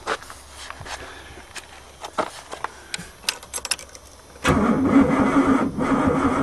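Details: Oldsmobile 88 that sat for three years, key turned with no fuel to check it isn't seized: light ticking, then the starter spins the engine over steadily with an even rhythm and no binding; turns freely, not seized.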